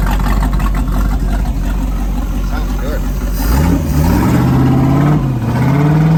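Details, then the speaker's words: Rebuilt 305 V8, ex-Volvo Penta 2-barrel IO, converted to 220HP Crusader right-hand rotation with 1:1 transmission for a 1995 24' Lyman boat (replacing Pacer 283 with 1.5:1): deep steady rumble, clean smooth throttle blips; healthy normal revving. "It had a 1.5 transmission. It had a Pacer 283. We put a 1-to-1 on it."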